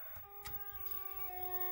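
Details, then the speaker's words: Williams Stargate arcade sound board in test mode on a bench setup: plain electronic tones stepping pitch every half second instead of game sounds; fault was a bad 6810 RAM chip, later socketed and swapped. "and as you can hear it's just um it's just going through tones and that is not correct for Stargate"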